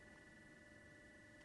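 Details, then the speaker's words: Fans on a PC cooler switched back from DC to PWM control to allow speed adjustment, running around 40 dB; a steady, high, multi-tone electrical whine and beeping caused by the PWM signal sits over soft fan air noise. "I'm not sure if you can still hear it but this beeping noise is is insane I had to go back from DC to pwm because I couldn't adjust the fan speed at DC"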